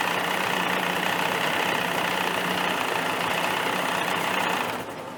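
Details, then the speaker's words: 1985 Johnson 20hp two-stroke outboard started with an easy light pull, steady smooth fast idle and pumping water normally; gearbox shift dogs suspected worn. Normal idle. "They don't start any easier than that, folks. I'm not even giving it a pull. I'm just giving it a little. That's a runner."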